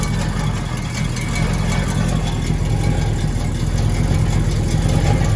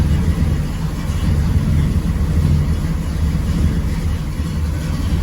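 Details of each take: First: Exhaust leaks on a 1979 GMC Caballero (El Camino–type G-body) with a big block V8: deep, loose, uneven tractor-like puffing rumble at idle, from a loose header-to-pipe donut and bad welds. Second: 1979 GMC Caballero big-block V8 after the header-to-exhaust donut leaks were repaired: a deep, even rumble with smooth rev swells and no puffing or ticking from the manifold; the exhaust sounds sealed.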